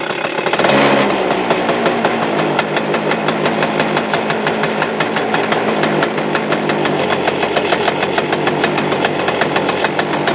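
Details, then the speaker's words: Suzuki Address 110 engine, loosely sat in the frame with nothing bolted, starts first pull, and a fast steady rattle rides over the idle right from startup, unchanged, so the motor must come apart. "Тарахтящий звук присутствует до сих пор, как видите. То есть ничего не поменялось, нужно все-таки разбирать мотор."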